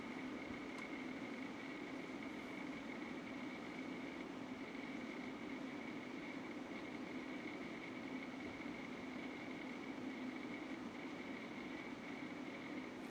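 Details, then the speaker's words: UpHere NT1207-5 RGB PC fans at max speed, about 57 dB with six fans installed: loud steady whoosh and hum with a faint motor rattle that persisted after swapping fans, cause unknown; loud fan noise with rattle. "They are very loud. You also hear a rattling sound, a motor rattling sound."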